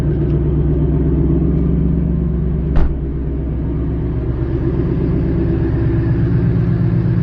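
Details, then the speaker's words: Ford with a new Coyote V8, just back from the dealership after the engine replacement, idling with the clutch pushed in: deep, even rumble with a lopey beat and one brief blip, no knocks or ticks. Temperature stayed normal on the 50-mile drive home. "push the clutch in and she sounds like a beast"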